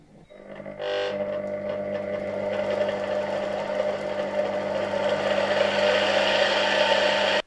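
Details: Polish RFSG vacuum cleaner (c. 1953–56) with replacement 1961 SK-5 universal motor: spins up within a second to a steady high whine with even brush hiss, no knocking or scraping; healthy motor.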